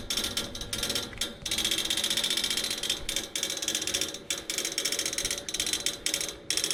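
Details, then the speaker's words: AC outdoor unit, fan not running, motor already replaced: rapid dry ratcheting clicks in bursts from inside the unit, as if trying to crank something, continuing until the fan comes on. "this sound will continue until the fan comes on and it stops it's not coming from here it's coming from inside it's like it's trying to crank on something"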